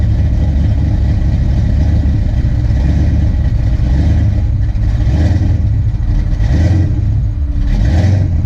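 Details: Ford Fox-body Mustang LX with a big cam, lumpy V8 idle surging up and down every second or so; ignition timing set too far advanced; TPS tried, distributor pulled to reset timing at top dead center.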